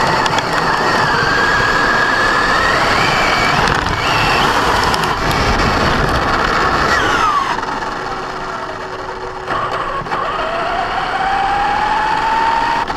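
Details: Brand-new Basher Nitro Circus 4x4 1/10 RC truck on a 3S 4000mAh battery: motor whine climbs and falls with throttle under a harsh rough grinding roar while pulling forward. Only under acceleration, not in reverse or off the ground. Gear mesh was adjusted, and the cause is unclear.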